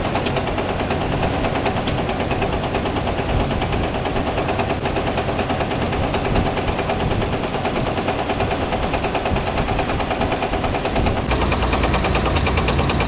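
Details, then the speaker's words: Dodge M37 military truck revived after sitting about 14–15 years, engine running: heavy, steady knock about three times a second; suspected rod knock, source not yet pinned down; likely needs rebuild, possible oil pan gasket leak. "this thing's running really really good though this this dang rod knock"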